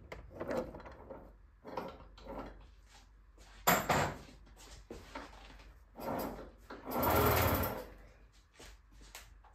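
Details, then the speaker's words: Aprilia RS4 50cc motorcycle that came in for a leak and needed a full engine rebuild; the engine won't turn even with the spark plug out. Forced round by hand through the ignition cover, it gives slow, uneven scraping bursts and binds again, suggesting seizure. "bon je vous laisse apprécier le dou bruit"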